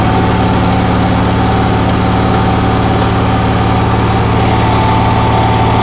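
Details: Onan generator in cold weather, with a steady, fast, even hum and no dip or hunting; outlets read 160–170 volts and the stator about 18 volts, so the owner suspects idle is way too fast and adjustment won't lower it.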